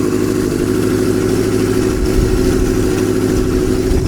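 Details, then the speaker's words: Kawasaki Z650B under restoration on substitute uncleaned F2 carbs, pointing to the original carbs as the cause of not running on all four: smooth, even four-cylinder idle with steady pulses, no misses or knocks; running fine. "and now the engine is running fine I throw all that hard work after all that hassle with these carbs"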